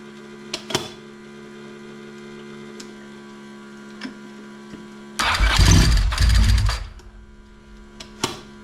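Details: 1992 Ducati 900SS, about 30 years old, running after replacing the spare oil cooler with a broken tab: low, steady idle with one short throttle blip settling straight back; oil pressure good, no leaks, engine sounds healthy.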